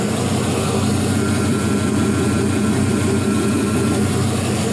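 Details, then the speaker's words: 4.8L Gen 3 LS V8 with 175k miles, run fully dressed with accessories, PCM and harness, about 42 psi oil pressure: steady, even idle with a smooth low rumble, no knocks, ticks, whines or drips; normal healthy idle. "i haven't done a boat yet that'd be kind of cool there's just no drama on this one"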